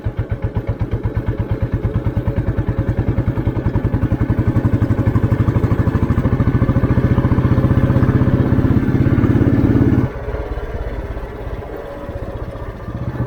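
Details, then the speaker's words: 1988 Royal Enfield Bullet 350 (80s CI engine), in top gear on a village road, throttle opened from very low speed: even single-cylinder thump pulling cleanly from low revs with no knock or rattle; normal acceleration. "ഇനി വണ്ടി ഒന്ന് കയറണം എന്നുണ്ടെങ്കിൽ ഒന്ന് just ഒന്ന് accident കൊടുത്താൽ മതി."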